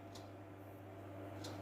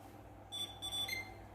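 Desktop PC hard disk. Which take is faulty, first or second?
first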